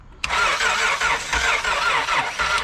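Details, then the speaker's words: No-start boat engine during mobile repair, listening to cranking cadence: sluggish, uneven cranking at about two compressions a second that never catches as the battery runs down; jumper cables needed; slow crank no-start from a weak battery. "All right, do that one more time. I'm running out of battery."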